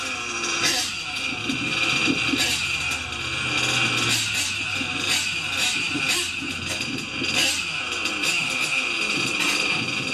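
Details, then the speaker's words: Small nitro engine on a warmer day: screams thin and high with piercing steady top-end tone, high-speed needle a bit too lean, likely from warmer temperature; adjusted richer, after which idle held stable. "Too lean on the high. Just going to make an adjustment on the high-speed needle. A bit too lean."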